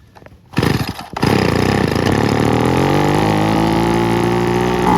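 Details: 1980s/90s McCulloch two-stroke gas leaf blower (Zama C1U-M21B carb), rebuilt with a carb kit and new fuel and air filters, cold start in the 30s°F: fires on the second pull, then a strong, even, chainsaw-like buzz with no misses.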